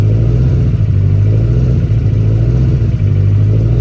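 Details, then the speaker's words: Roughly 1000 hp turbo engine build at first startup, new FIC 2150 injectors, front O2 sensor unplugged: deep loud idle dipping and surging unevenly every second or so; hunting idle, cause not confirmed. "Sounds like a Honda with a bad idle control motor."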